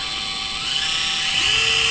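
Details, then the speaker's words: Axial SCX24 crawler on a bench stand with the V2 transmitter and ESC at full throttle: only a faint steady hiss, no ESC whine unlike the louder V1/C10 ESC; quiet controller, same pull. "so that that's really quiet but the pole to me is the same no difference in the pull"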